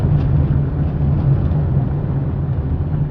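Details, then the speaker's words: Fiat Palio road test after replacing the stabilizer bar link for a suspension noise, driving over bumps: low steady road and engine rumble, no clunks or knocks; front suspension quiet and tight after repair. "bom pessoal acha que foi feito não apresentou nenhum barulho de de suspensão"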